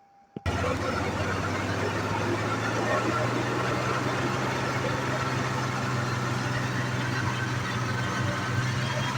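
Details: 1986 Jaguar XJ6, unstarted for two years, after fuel-system repairs: engine catches straight away and settles into a steady, even low idle with no misses or stumbles.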